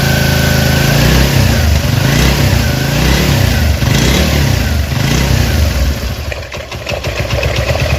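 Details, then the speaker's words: Chinese Honda CD70-type motorcycle engine idling without throttle, oil pump checked working: even thumping single-cylinder beat with a faint light tick from slightly loose tappets; otherwise sound, normal idle. "और जो साउंड है इंजन का वो भी अच्छा साउंड है, क्योंकि China bike है और हल्के हल्के जो टैपट हैं वो लूज़ है, उनकी आवाज़ है टिक टिक की। बाकी माशाल्लाह अल्हम्दुलिल्लाह बिल्कुल गड्डी साउंड है, बाइक का जो साउंड है वो अच्छा साउंड है।"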